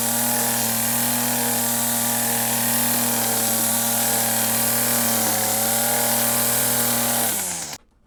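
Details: Stihl FS 40 C two-stroke string trimmer (weed eater): steady high buzzing note holds even with no surging or misses, then winds down cleanly at shutoff; runs healthy.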